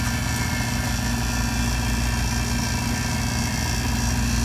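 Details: Three-door makeup table refrigeration unit after coil washed and area cleaned, coil still wet, started on service call: steady even low hum with smooth fan rush, no knocking or rattling; compressor running normally.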